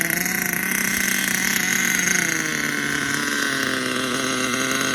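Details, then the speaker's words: HPI Savage 25 nitro RC monster truck, first run: high-pitched engine screams at steady revs, pitch slowly sagging, no drive coming through; slipper clutch slipping despite being fully tightened, power lost through drivetrain. "I don't know it sounds like slipper clutch is slipping even though I tightened it all the way up it's definitely slipping I got to check that"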